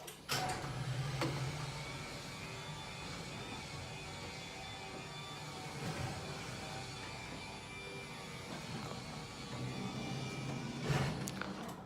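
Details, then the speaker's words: Belt-drive overhead garage door opener with a door replaced about 6 months ago, running the door up: steady low hum with light creaking for about ten seconds, smooth and even; normal. "Alright, that was the overhead garage opener belt drive."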